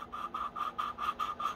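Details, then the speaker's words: Honda GX160 valve lapping by hand with suction-cup tool and grinding compound: rhythmic gritty scraping about five strokes a second, still rough and uneven; valve seat not fully lapped in, continue until sound is smooth and uniform. "you hear it grinding I'm just twisting until that grinding noise is just uniform and smooth it just sounds like two surfaces rubbing together not grinding"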